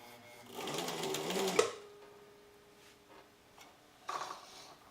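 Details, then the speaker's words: Old sewing machine: a second of fast stitching bogs down and stops abruptly. The drive belt slips again after a little use and the mechanism seems jammed; a feed-dog drop button was then found to be involved. "came out you can hear the belt is really slipping and it's like it's all jammed up in there"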